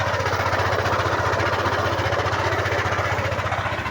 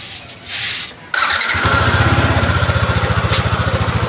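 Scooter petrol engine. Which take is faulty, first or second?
first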